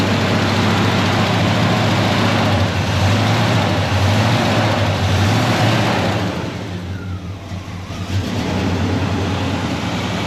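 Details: 1974 Chevrolet C20 small-block V8 after sitting about 3 years, second start attempt: catches into a deep, regular idle with a brief sag near the end, but keeps running. Surging suspected from bad gas and junk in the carburetor.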